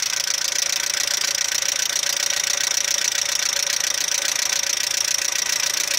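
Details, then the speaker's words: Audi 80 B3 engine: fast, sharp, regular metallic knocking at idle over a hissy background, quieter once warm; teardown found scored bearings from low oil pressure caused by the oil pump, requiring a rebuild. "говорят, проблемы распространенные на этих движках. Либо масляный насос не отрабатывает свое, не создает давление."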